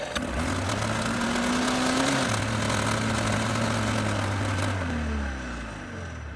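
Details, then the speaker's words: Sled unrun for about five years, a 1991 Yamaha Ovation snowmobile, fires up on jump start and revs unevenly, then sags and dies as fuel runs out. Owner suspects weak pump or vapor lock. "up, but it runs out of gas very quickly."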